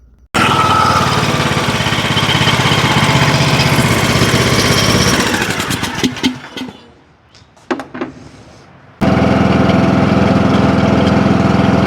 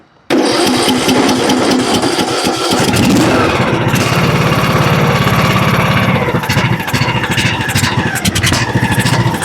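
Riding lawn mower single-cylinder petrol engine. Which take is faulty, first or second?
second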